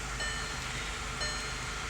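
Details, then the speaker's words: Volkswagen CC petrol idling smoothly with a steady even hum after new ignition coils cured P0300 misfires; check engine light no longer flashing, steering wheel free of vibration. "But it seems to be idling real smooth now."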